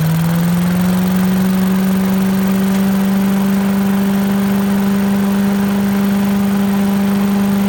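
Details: 1980s Billy Goat vacuum single-cylinder engine running after fresh fuel: steady even hum holding speed, no misses or surging; needed extra pulls to start, owner suspects low compression; normal running.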